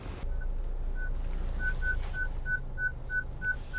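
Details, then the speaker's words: 2022 Honda Civic Touring parking sensors: clear high electronic beeps start slow and quicken to about three a second as the car nears an obstacle, the bumper sensor proximity warning. "ht there and the intervals are going to get closer together so you can hear that beeping that's the back rear bumper sensors"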